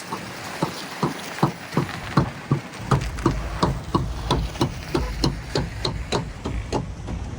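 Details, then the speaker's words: Trailer carrying a hovercraft, rolling on the road in about 16-degree cold: sharp click about eighty times a minute over low road rumble, likely from a wheel; bearings and hubs to be replaced, cause not yet confirmed. "This trailer is making an awful noise. You hear that clicking? Click, click, click, click, click. That's not good."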